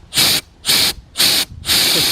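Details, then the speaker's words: 2011 GMC Terrain with check engine light, P0496 EVAP flow during non-purge, purge valve bench-tested with blown air: four short sharp hisses cut off cleanly; valve had first let air straight through unpowered, judged faulty. "So now before, when I had first tested this valve out, I put air through it. It went right through. So by me pushing air, it must have freed it up. But I know that is no good."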